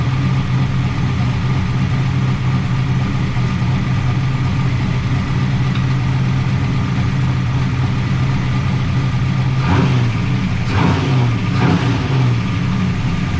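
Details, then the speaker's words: 1988 Camaro IROC-Z V8 after new lifters and roller rocker lash adjustment: deep, steady idle with even cam lope and no more lifter tapping; valvetrain quiet and healthy. "listen to that cam baby listen to that no more tap tap tap"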